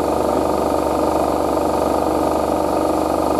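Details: Hotpoint WD860G Ultima Super Silent washer dryer on Cottons 60°C cycle; smooth even hum at full spin with no knocking, rattling, banging or vibration: drum spinning normally.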